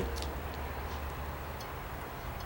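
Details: 1949 Frazer with a 6-volt positive-ground system, after fixing a short that had been melting the flasher unit: light ticks come about twice a second over a steady idle rumble; the repaired flasher is cycling properly on the turn signals.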